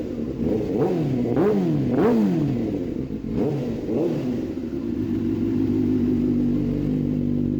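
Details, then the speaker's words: Warmed-up 2005 Suzuki GSX-R sport bike gets a few quick throttle blips that rise and fall cleanly, then settles to a smooth, steady idle; normal revving. "I've already let the engine warm up, so I'm gonna give you guys a couple revs just to hear how she sounds."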